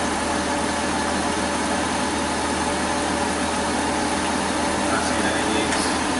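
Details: Kia Sedona 3.5 V6 after power steering pump replacement and bleeding, no air bubbles left in the reservoir: steady even idle with a smooth hiss, no groan or whine from the pump; the steering system sounds healthy.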